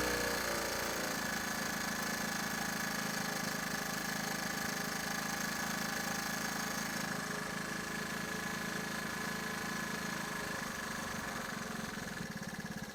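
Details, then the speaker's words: Honda ATC 110 barn find running after carburetor work; fairly even single-cylinder idle with a quick ticking beat that occasionally sputters; owner unsure whether issues remain or it is just still cold. "it seems okay but once in a while you'll hear it's kind of sputtering and I don't know if I've still got issues with it or if it's just still cold"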